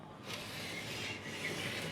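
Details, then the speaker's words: Bluetooth amplifier's left channel after about five minutes at full volume. It gives only a faint, harsh, scratchy "korr" rasp with no clean audio, while the right channel plays fine; an IC change is suggested. Amplifier channel crackle. "ಇದು left channel speaker ಬರ್ತಾಯಿಲ್ಲ, ಇದು connect ಆಗಿದೆ. ಮತ್ತು sound ತುಂಬ ಸಣ್ಣಕ್ಕೆ ಬರ್ತಾಯಿದೆ ನೋಡಿ. ಕೇಳಿಸ್ತಾ ಇದೆಯಾ? ಕೊರ್ರ ಅಂತ ಸೌಂಡ್ ಬರ್ತಾಯಿದೆ, ಇನ್ನೇನು ಬರ್ತಾಯಿಲ್ಲ ಅದರಲ್ಲಿ ನೋಡಿ."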